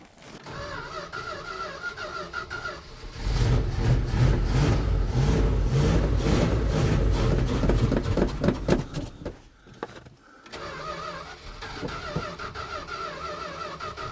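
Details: 1973 Dodge D100 after fuel pump replacement, still priming the new pump, with the choke not coming on: several seconds of steady, even cranking that never fires. Long crank, no start; cause not confirmed.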